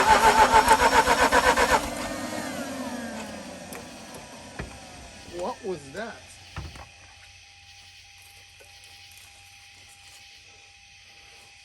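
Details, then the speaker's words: Mazda RX-8 with a stuck alternator pulley: under two seconds of laboured, evenly pulsing cranking that stops dead with no firing; pulley still not spinning, internal alternator problem suspected. Slow cranking, no start. "gotta see the footage guys apparently the pulley is still not spinning"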